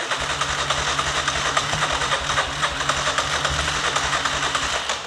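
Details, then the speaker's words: ATV with a no-start, starter button pressed with the brake held: steady cranking at about 3.5 beats a second that never catches, with only a very faint cough when throttle is given. "when we give it a bit of gas, it is coughing a very faint amount, trying to start."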